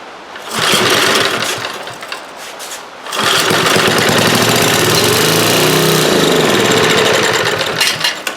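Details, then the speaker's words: Old eBay generator, choke on and fuel poured in to prime: rough firing catches, sputters and stalls; owner suspects the carburetor or fuel pump isn't feeding, not confirmed. "Well, sounds like the carburetor's not working. It's probably that fuel pump."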